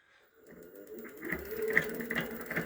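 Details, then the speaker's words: E-bike hub motor: it spins freely without noise, but under throttle a quick, light, regular ticking knock builds inside the hub. The cause is unknown until disassembly. "и пошёл у нас такой вот стук. Сейчас я буду молчать, а вы послушайте."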